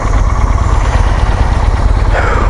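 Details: Honda Shadow 400 (Steed) V-twin motorcycle just after an oil and filter change, started where it stands: steady, even, low idle thump with no knocks or misses; a smooth, normal idle.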